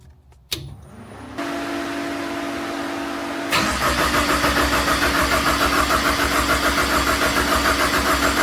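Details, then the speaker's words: Ford Ecoboost-swapped Nissan 240SX on Link ECU with custom wiring and one-off exhaust, first start after seven months of build: starter cranks briefly, engine catches and settles into a steady, even idle with no misses or knocks; normal start. "It's running. OH MY GOD."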